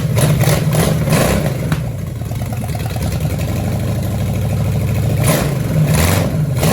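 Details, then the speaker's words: 1966 Chevelle small-block Chevy V8, first start after being thought locked, plug wires misrouted, timing eyeballed, carburetor with broken bolt likely sucking air: lumpy uneven rumble stumbling irregularly; not firing on all cylinders. "All right, she's running pretty bad. I mean, she fired, but yeah, I don't think she's firing on all cylinders."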